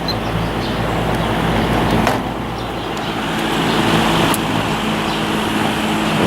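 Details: Lakewood S23 fan on medium after blade straightening and balancing, drawing 1.4 A, 107 W, 0.61 power factor; steady airy whoosh over a low, even hum, no wobble or ticking, smooth and balanced.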